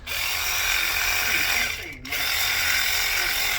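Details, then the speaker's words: Matco Infinium MCL1238R 3/8 12V electric ratchet, over 10 years old, previously slow with no power and smoking, after fitting an RS550 replacement motor on a dead battery: two fast steady high-pitched whirring runs; much better. "That's much better."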